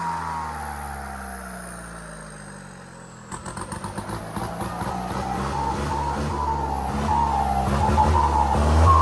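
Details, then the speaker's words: Isuzu MU-7 diesel with upgraded big performance turbo: as the engine revs up, a long whistle climbs steadily in pitch over the engine's rumble; strong, healthy turbo spool. "ฟังเสียงนะครับผมmu57นะครับโบวใหญ่โขงซิ่งพิเศษนะครับผมเสียงหวานหอนยาวๆดุดันนะครับผม"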